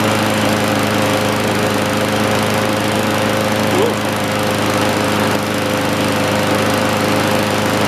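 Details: John Deere push mower, believed 1960s–70s (exact year unknown), saved from scrap, first fire-up: small single-cylinder engine buzzes along at steady, even speed, no misses or knocks; left running before an oil change. Normal running.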